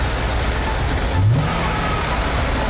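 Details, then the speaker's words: 2014 Ford F150 salvage auction truck with one wheel torn off starts right up and settles into a steady, smooth idle with no knocks or misses; engine runs fine despite the crash damage. "Started right up. Oh, it started up, son! That's good news. Sounds good."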